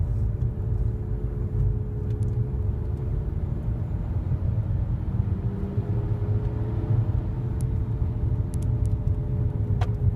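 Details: 2008 Nissan Altima while accelerating: a low, airplane-like droning hum under road rumble that grows louder on acceleration and softens when slowing. The owner believes it is a CVT transmission issue.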